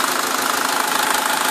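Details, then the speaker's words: 2009 SsangYong Kyron restyling diesel, hot engine idling on flushing oil during an oil change, no revving: even, steady diesel clatter with a smooth, unchanging rhythm; runs very quietly and smoothly, healthy normal idle. "Вообще идеально работает. Ни черта не слышно. Так аккуратненько работает. Ровненько, мягенько."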